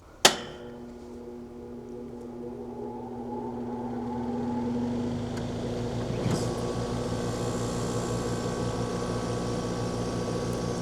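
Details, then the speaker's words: Central air conditioner with a Micro Air Easy Start soft start, run off an EG4 12000XP inverter and 40kWh LiFePO4 batteries: click, fan spins up, second click, then compressor hums in gently; normal soft start, load in the low 3000 W range. "You'll hear the soft start work. What'll happen is the fan will start spinning first, and then you'll hear it click, and the compressor will turn on."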